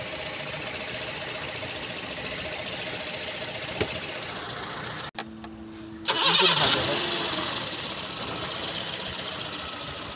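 Petrol engine idling unevenly, with a brief dropout and surge, because the mass air flow sensor is unplugged.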